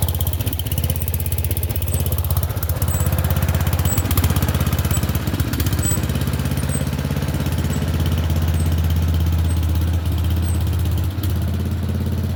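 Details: Murray Select 30-inch riding mower, being revived for resale, started after jump-pack attempts for a driveway test run; small single-cylinder engine fires up and settles into steady even putter, no knocks or misses; runs healthy.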